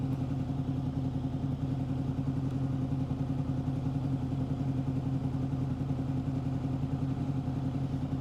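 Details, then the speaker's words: 2005 Honda VFR800 VTEC after turning the idle knob back anti-clockwise: low, even burble with steady pulses and no misses at 1200 rpm, matching the manual spec of 1200 ±100; normal idle. "Let's check. I think it's too low. No? Oh, that's the right RPM there, 1200."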